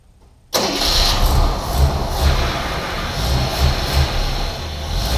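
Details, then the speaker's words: 1981 AMC Eagle sedan engine: catches immediately and settles to a fairly even low idle with slight unevenness; rough idle improved, timing and distributor vacuum advance suspected, not confirmed. "but definitely idling better and so I think we're back on the right track here now"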